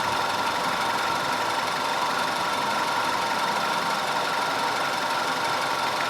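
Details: 2010 Audi A5 2.0 TFSI Cabriolet after repair of random and constant cylinder 4 misfire (P0300, P0304, P130A): smooth, even idle with a steady hiss-like hum and no stumble, skip or uneven pulse; running cleanly on all cylinders.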